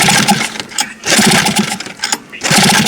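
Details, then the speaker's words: 2020 Hangkai 6.0 outboard, two seasons used: each pull-start gives ragged sneezes and pops that die away, fuel spitting back out the carburetor; reed petals look intact but a mechanical reed valve fault is suspected. "Что-то беда здесь все-таки с лепестками. Они вроде целые, но что-то есть."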